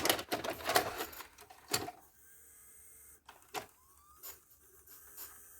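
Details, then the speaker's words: Philips VR101 VCR after freeing a stuck tape: small motor whirs and mechanism clicks and spins in short bursts but never finishes loading; tape threading failure, not wrapping around the head drum. "Spinning. It doesn't want to put the tape around the head."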